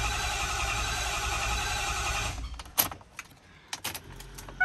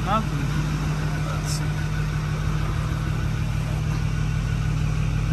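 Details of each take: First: 2010 Ford F350 6.4 Power Stroke diesel after a head and ARP head stud rebuild, a repeat start attempt after priming: the starter churns steadily for a couple of seconds, then cuts off with only clicks; no start, which the owner suspects is air from the removed lines. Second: 2010 Ford F350 6.4 Power Stroke diesel (Cabela's edition), after heads and ARP head studs, restarted after a coolant vacuum fill: steady low idle, even rumble, no knock or miss, no check engine light; normal idle.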